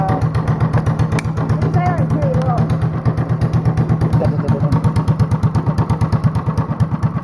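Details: Honda clone single with 10 lb cast-iron flywheel, cam modified, no governor, near 500 rpm; slow, even thumping about three beats a second, each a heavy chuff, idling very low and steady; normal very low idle.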